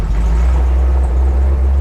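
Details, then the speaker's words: Chevy 350 V8 with a two-barrel Ford Motorcraft carburetor in a CJ-7 Jeep, warmed up and under way: deep, steady, even rumble with no knocks or misses; engine running well. "I was worried about the motor not running but man once it gets warmed up it that sounds pretty good still"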